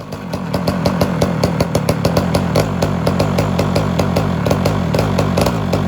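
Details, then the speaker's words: Homelite Super XL chainsaw with rebuilt Tillotson carburetor, during early tuning: revving two-stroke with a rapid buzz that stumbles and skips beats, some smoke from carbon buildup; misfire; owner suspects an air leak, since mixture screws needed about 2–2.5 turns out. "it's they got little promise appears as though we got a misfire there you'll still see a little smoke from the carbon buildup but the big issue right now is a misfire"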